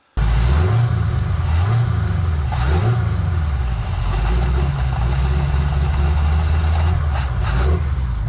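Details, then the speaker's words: Carbureted engine hot at 212°F coolant after a 10-minute heat soak, throttle blipped with hood raised: revs rise and fall unevenly and bog as the carb dumps fuel and floods; cause unknown, owner suspects the power valve. "We are flooding out. I don't know why. It don't make any sense."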